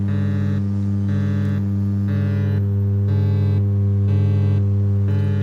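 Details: Audio amplifier mains hum through the speaker: a constant low drone with a faint pulsing buzz layered over it.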